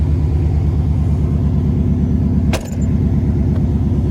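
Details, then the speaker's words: Chevy truck running again after sitting about seven years with rebuilt rear end: steady even low idle rumble, smooth regular pulse, no knocks or misses, normal idle. "now that's pumping exhaust going it's running fine now"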